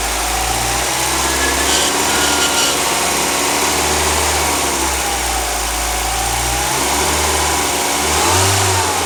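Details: 2004 Mazdaspeed Miata: raspy high buzz riding over the engine at idle and persisting through revs; owner suspects the alternator, not confirmed.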